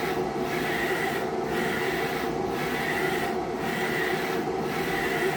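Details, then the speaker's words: Procolored P13 DTF printer running a rainbow test print during daily maintenance, laying down the white overlay: steady soft rasping swish dipping about once a second as the head reverses; normal, healthy printing. "And there comes the white. So that's the secondary white that gets laid over on the top."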